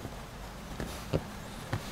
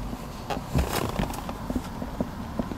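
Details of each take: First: Lexus RX second generation after rubber door seal fitted around dashboard perimeter, driving: low road rumble and a few soft bumps, no dashboard squeak; squeak came from dashboard locating pins rubbing in body slots. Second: Lexus RX300 second generation dashboard creaking over uneven roads: irregular dry creaks and ticks over low road rumble on bumps, caused by worn dash locating pins rubbing in their slots.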